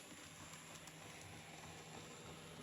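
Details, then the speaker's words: Micro Ace D52 model locomotive that has not been run for a while: constant gritty whirr with a thin high whine on top at steady speed; the mechanism runs grindy and noisy and may improve with running in. "It's a bit grindy. But then bearing in mind it hasn't been used for a while."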